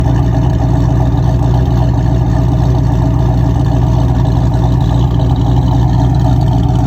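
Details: 1987 Ford Mustang with a 347 stroker kit and brand-new engine rebuild, running: loud, deep, steady V8 rumble with a fast even pulse; abnormal engine noise, cause unclear.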